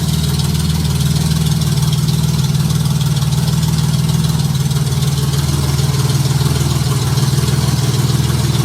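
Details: Junkyard Honda J35 V6 with 183,000 miles in a Baja, start on AEM Infinity ECU, warming up at idle before throttle: steady even low idle, no knocks or valve clatter, good oil pressure; healthy.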